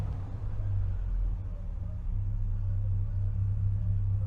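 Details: 2012 Ford F-250 6.2L gas V8, 278,000 miles, cold day, loud exhaust: steady deep idle, even with no knocking or ticking, while the oil pressure gauge drops to zero at idle; faulty oil pressure switch/sending unit suspected and replaced.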